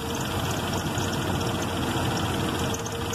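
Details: 1995 Jeep Grand Cherokee 5.2 engine with damaged, faulty wiring harness after a relay/fuse box swap; just started after a no-start, wets plugs. Idle drones, swelling and sagging instead of holding steady, vacuum varying widely and TPS wandering: rough, unstable idle.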